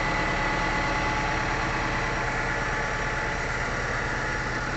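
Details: Steady tractor/excavator diesel idle on the original engine with an uneven chuffing pulse of about three a second, suggesting blow-by puffing from the crankcase of a worn engine. Cause suspected, not confirmed.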